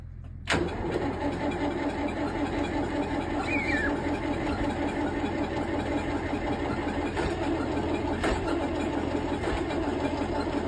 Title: Tractor Volvo no start -15c